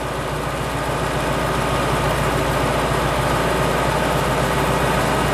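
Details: Wood-gasifier truck engine running on wood gas with all four intake pipes wide open; steady, even low rumble with no stumbles or misses, idling smoothly, though idle is running higher than wanted.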